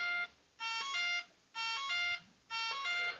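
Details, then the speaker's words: RC warbird electric power setup: the ESC is disconnected from the radio, so it repeats a chirpy multi-tone signal-loss warning beep burst about once a second. "you're gonna hear beeping because my radio my uh esc has been disconnected"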